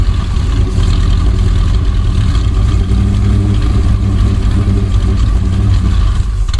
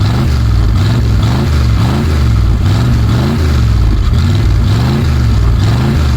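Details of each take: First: 1965 Dodge A100 van, sat for years, now on fresh fuel after carburetor bowl filled: even, deep, steady idle with no misfire stumble or mechanical noise; normal idle. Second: 1965 Dodge A100 van, V8 sat for years, low on fuel and running on what seems to be varnish; manual fuel pressure regulator cranked to max: low, lumpy, wavering idle, runs but rough; rough running on stale fuel.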